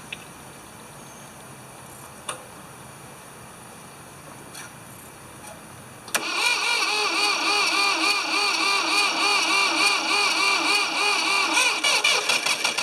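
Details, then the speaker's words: Ford 2600 tractor with low compression, oil added to seal worn rings: quiet, then bursts into a fast, even chug about three beats a second as it cranks and catches, heavy smoke, then wants to quit; plug wires keep popping off. "i don't know if it's going to stay running or not or stay that high or not or if it'll run we're going to try to crank it see if it'll start"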